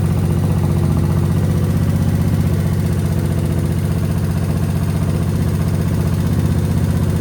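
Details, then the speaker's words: Suzuki VS1400 Intruder V-twin after carb cleaning, with the fuel pump reprimed and both carbs full. Deep, steady throb with even pulses about four a second and no misses: both cylinders are now firing evenly. "Oh, I think we're getting two. I think I'm hearing two cylinders started. Oh, listen to that. That's two cylinders."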